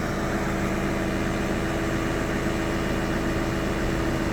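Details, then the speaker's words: Peugeot Expert 2.0 HDi diesel at idle after timing-chain replacement, injector seals and walnut-blasting of the intake: a steady, even idle with the chain rattle gone and no slap; only an aircon belt noise remains. "no chain noise, that's all gone. So everything is now nice and quiet."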